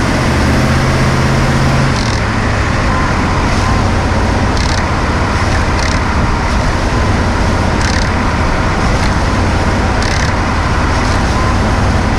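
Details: New 2018 Ford F-150 XLT 5.0L V8, 10-speed, while driving: sharp irregular ticks under road roar as throttle is released; deceleration rattle persisting after TSB 18-2354 update, cause unknown.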